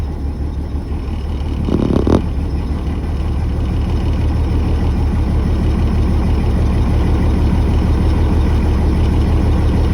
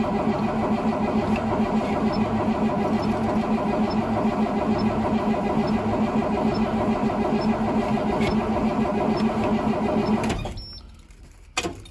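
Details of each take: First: 2003 Blue Bird 3800 school bus, DT466E diesel, cold start at 11°F, not plugged in, unused about a week, started with ether and jumper cables: steady, even low diesel rumble settling with no knocks or misses, building air; normal cold idle. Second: 2003 Blue Bird bus, DT466E diesel, cold start at 11°F, not plugged in, unrun for about a week; steady starter grind with compression beats about twice a second for ten seconds, never catching, cranks but no start.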